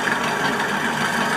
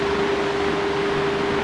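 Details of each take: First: Stand fan running: fast, rough clattering rattle as the loose blade moves back and forth on its shaft and slips; a screw at the back of the blade hub is involved. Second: Stand fan after replacing its belt to cure a clattering noise: runs smoothly with steady airy rush and constant low motor hum, no clatter.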